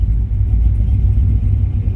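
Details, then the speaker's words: Probably 2015 5.3 LT six-speed truck, cammed and badly tuned by another shop, before retuning: a deep lumpy idle that wanders and surges and never settles; timing jumps everywhere and it would eventually stall. "There She Goes Otto is all over the place timing is jumping everywhere and eventually it'll just have enough and it'll just completely die out"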